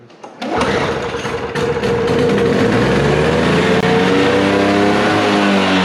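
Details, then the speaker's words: Toro snow blower, Briggs & Stratton R-Tek engine, cleaned carburetor reinstalled after sitting non-running: catches after a few pulls, settles into a high, wandering buzz that won't hold a steady idle; owner suspects the idle adjustment is set wrong. "I don't think I have that thingy in there set right for the uh um uh idle."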